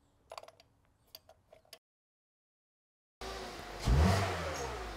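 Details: Misfiring Hyundai after a spark plug change (the cylinder 4 plug was heavily carboned and possibly tracking): a few clicks, a pause, then the petrol engine catches, revs once cleanly and settles to an even idle.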